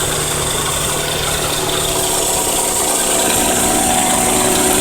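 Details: 1992 Toyota Camry 4-cylinder at idle after cutting off on the freeway while low on oil, oil and treatment since added; rapid, slightly uneven knock near four per second over a thin rattle: engine knocking, cause unconfirmed.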